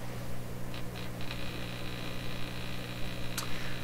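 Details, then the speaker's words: Canadian Marconi Model 93 radio run on reduced voltage via dim-bulb tester, AM band: steady low buzzy hum from speaker, no station received; audio section from detector forward works, detector gets no signal from earlier stages. "you have a listen here yeah there's a nice hum coming out of there"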